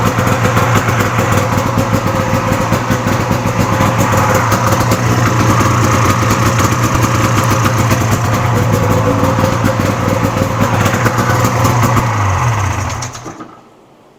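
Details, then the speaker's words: Cheap swap-meet Polaris Indy snowmobile, two-stroke, started after a couple of pulls to fill the carburetor bowls: even, crisp burble holding a steady idle with clean firing, then shut off; runs well, though the choke setting is still a little off. "sounds good the choke is a little still too small but I'm just going to leave it there"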